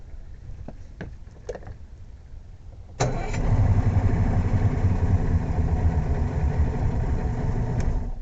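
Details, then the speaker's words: Yamaha two-stroke outboard on a Hydrosport center console, after finding a fuse blown by reversed battery cables: a couple of crank attempts, then a clean catch and a steady, even idle around four beats a second. "Smokey the Bandit, good to go."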